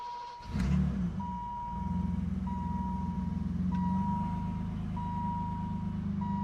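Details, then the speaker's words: BMW E28 with M30 engine, first start after valve adjustment, loose cam oil squirter banjo bolts found: cranks and catches quickly, settles to a smooth even idle under a repeating door chime; no ticking, much quieter than before. "Wow. I don't think I screwed it up. It is heaps quieter. I don't know how well the mic's picking it up, but it is way quieter now."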